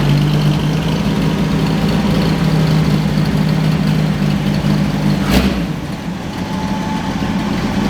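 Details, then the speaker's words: 1963 Chevy Biscayne with newly installed replacement engine, first start; steady deep idle with even low beat, slight rattle mentioned, no misses or knocks, sounds healthy. "I just love that sound. You gotta get a slight rattle, yeah."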